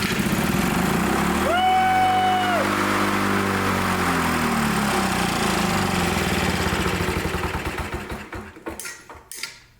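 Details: Lawn-Boy Loafer front mower two-stroke engine: catches and buzzes at a fast, steady beat for several seconds, then winds down. Needle and seat was leaking fuel; main jet possibly plugged.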